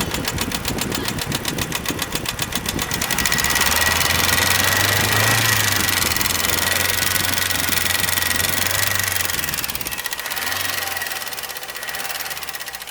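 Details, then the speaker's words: Chevy Cavalier with 200,000-plus miles, run out of oil until the oil pressure light came on, ticking since: sharp top-end ticking at idle, a few beats a second, holding through a brief rev; a collapsed lifter letting the rocker flap. "That thing sounds like the upper end. So that actually sounds like a lifter collapse there. Yep, it's right there. You can hear it. It actually sounds like the bulk of it's from up top."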